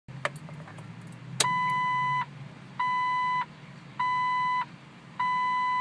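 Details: Jeep failing to start while being jump-started: four long, even beeps near 1 kHz, about one every 1.2 seconds, during start attempts; cause unknown.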